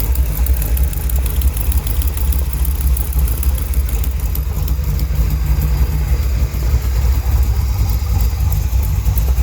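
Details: 1971 Chevrolet Cheyenne, factory big-block 454 V8 on Jegs Bandit EFI, first start, cam believed broken in, rear jacked up; loud low idle with sharp ticking puff over the firing beat. Header leak at number two cylinder.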